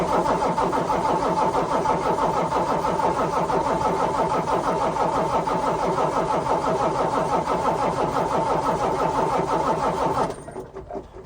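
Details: Truck that misfired, shut off and blew white smoke shortly after an oil change: the starter churns steadily at about three turns a second for ten seconds but the engine never catches. Cranks, won't start; cause unconfirmed.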